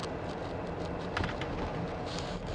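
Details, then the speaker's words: Renault Samsung SM5 Platinum, about 90,000 km, while cruising: steady, even low tire rumble with no hum, whine or thumping; tire road noise normal. "노면에서 타일 소리도 안 나고 언덕도 스무사이트 올라가고 직선 코스도 밟아 볼까요?"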